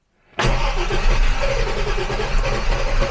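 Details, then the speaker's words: 1967 Jaguar Mark 2 3.4 automatic, in park on choke after brake work: cranks briefly and catches fast into a slightly rough, lumpy idle. It is a little flooded, which the owner puts down to carb cleaner sprayed everywhere. "A little bit on the flooded side, But I have been messing, you know, put carb cleaner and things all over everywhere, so that does make sense."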